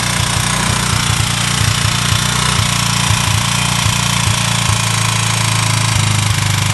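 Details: Chinese motorcycle with a 162FMJ pushrod single-cylinder engine, bought already knocking. A sharp hammering knock at roughly four per second rides over the running engine. It is a clear internal knock whose source is unknown; the owner asks what it is.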